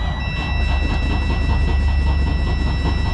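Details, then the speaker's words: Freightliner Cascadia DD15 diesel with misfire and cylinder 6 idle quantity-deficit code, during a laptop-run compression test after valve adjustment, battery a little weak; steady even cranking about four beats a second, sounds better than before, results 88-100%. "Sounds better than yesterday."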